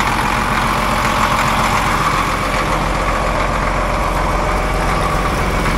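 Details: Cat D7F dozer, old military tractor bought non-running at auction, idling after start with ether and glow plug preheat on a weak battery: deep, even diesel idle, steady low rumble, no misses or knocks, no blow-by; healthy.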